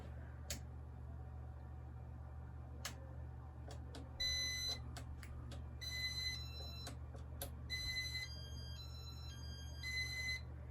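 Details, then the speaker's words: 1984 Casablanca Victorian ceiling fan with first-generation RMM1 IntelliTouch control and new bearings: sharp electronic beeps over a low fan hum. The beeper's pitch rises and it gets much louder after the fan has been on a while; the cause is unclear. "And this one actually gets higher pitch when it's been on for a while."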